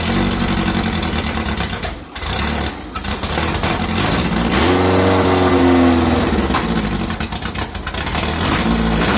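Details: 2332cc VW bug (Dust Buggy) after cleaning carbs and setting mixture screws: revs up cleanly and settles back without stumbling or missing; smooth running after mixture adjustment.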